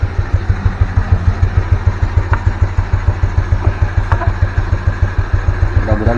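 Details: Yamaha Mio Smile CVT: steady low idle thump with a dry rubbing rasp from the belt housing; rough friction noise in the CVT, suspected dried-out grease and dirt, before cleaning and regreasing.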